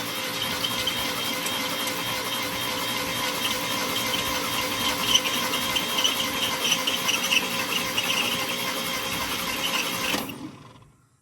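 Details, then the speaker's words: 1962 International C-100 six-cylinder, starter jumped from the battery: high dry squealing chatter about four times a second near the fan while cranking; generator suspected dry and needing oil in its oil cups. "Oh. What's going on with the fan here?"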